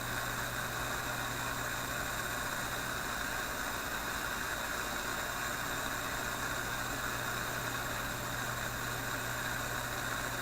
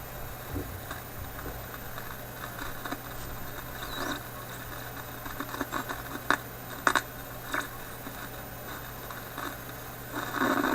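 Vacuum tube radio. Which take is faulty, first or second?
second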